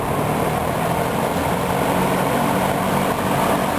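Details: Dayton 4C418 20-inch three-speed box fan, a rebadged Lakewood P23 with Chicago-made motor, running on medium: steady, even airy whoosh with soft low hum, no ticking, rubbing or wobble; normal healthy running.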